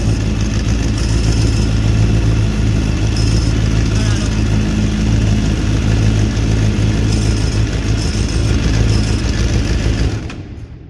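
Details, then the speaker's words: Suzuki GSX-R 750 idling after clutch adjustment. The spinning clutch basket gives a light rattling whirr with no knock or grind; this is normal, from bearings inside that keep it turning with the clutch disengaged. "Ese sonido que suena, no os asustéis ni nada, eso es normal, ese sonido, porque aunque lo veis seguir girando, cuando yo separo el embrague esto sigue girando. ¿Por qué? Porque tiene unos rodamientos dentro."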